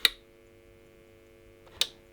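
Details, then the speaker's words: Returned CD radio with a dead CD drive and no FM: two sharp clicks about 1.8 seconds apart over a faint electronic hum; it senses the door shut but the disc never spins up. "so it's I can hear it clicking it recognizes that the door shut but it's not spinning up"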